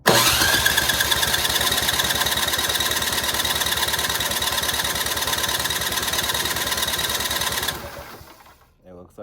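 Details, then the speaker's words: Simplicity snowblower engine with loose cylinder head, cranking compression test: steady even chug about three beats a second, stops cleanly; reads about 128, head gasket judged good, no replacement needed. "It's about 128. I think that's good. I would say that head gasket good. We don't need to replace it."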